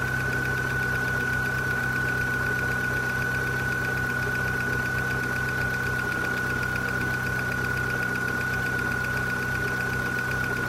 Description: Corsa C 1.4 16V 2001 once engine is warm, see part 1 for engine from cold start. / The Longer this video goes on the louder the ticking becomes